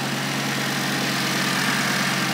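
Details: Audi RS3 with a fully forged five-cylinder, on its first start with a new battery: a smooth, even idle with a steady hum and no stumble or misfire. The engine sounds healthy despite dash fault warnings.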